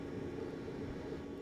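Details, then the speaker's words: Planar/Autoterm 2D 12V diesel air heater on first test fire in camper after fuel priming, restarting and producing heat: even deep jet-like roar without sputtering or pulsing; normal running. "all right I paused for a bit now it's starting up again it's smelling hopefully that's a good sign I'm feeling heat sounds like a jet engine taking"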